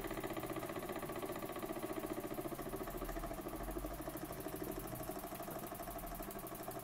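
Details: Burnac Vulcan model steam engine running under steam, with a seal needing replacement: quick, even chuffing pulses at a steady speed with no knocks or misses, running smooth and healthy.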